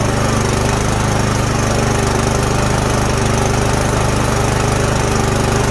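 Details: Snowblower that would not start after sitting all summer, now running after the fix: the small single-cylinder engine holds a steady, even beat at constant speed with no stumbling or surging. Normal running.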